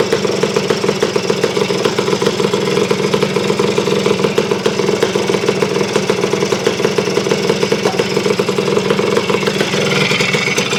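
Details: Honda CR250M Elsinore two-stroke idling after revival from years of storage, following kickstarter repair, a different spark plug and refilling the carburetor, cold ~30° morning in the shop; fast, steady crackling beat with bright rattle, holding speed without dying.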